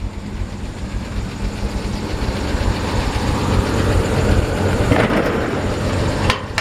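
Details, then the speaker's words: 1949 Chevrolet 3100 short-bed pickup, all-original matching-numbers six-cylinder on a six-volt system, restored, idling parked: even, unhurried six-cylinder beat with no ticking or knocking; a healthy engine. "open the hood with one hand really nice healthy nice healthy sounding engine"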